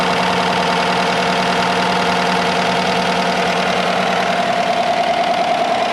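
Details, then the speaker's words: 2015 Chevy truck, replacement used 5.3L V8, fresh Castrol Edge 0W-20 and new filter, no codes, oil pressure just over 40, hood open: steady, even idle with a smooth hum and no knocks or misses; healthy. "she runs we got oil pressure showing over a little bit over 40. it's running good he's got a full tank of gas got a hood open sounds good"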